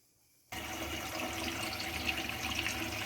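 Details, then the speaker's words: APEC reverse osmosis drinking water system just installed under a sink, first turned on with tank valve open; steady rushing hiss as water fills the filter housings, no sputtering or spraying. Normal filling. "We got the unit turned on, and it's filling the filter units up. with water. You can hear that."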